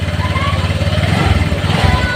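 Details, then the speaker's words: Honda Vario 150 scooter whose starter would not work, after moving the starter wire, starter switch connected: starts on the button and keeps running with a quick, even putter; nothing abnormal. "Saya hidupkan starter, tuh hidup ya teman-teman, hidup."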